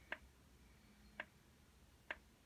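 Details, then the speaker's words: Carver PM-1200 power amplifier at power-on immediately goes into protection, solid red light, fans not running: sharp isolated clicks about once a second inside the unit, cycling in protection, cause unknown. "power it on it immediately goes into protection you can hear something clicking on the inside of the unit"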